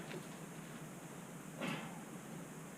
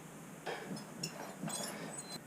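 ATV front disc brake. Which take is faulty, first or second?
second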